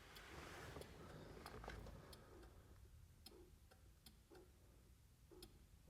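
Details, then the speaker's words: 1970s barn-find Ford Cortina project with a 46-year-old engine: hazards switched on, a quick, slightly uneven relay ticking at about three or four a second; hazards only sort of work, and two front hazard bulbs are out. "Sort of work. I can see, so we need two front hazard bulbs."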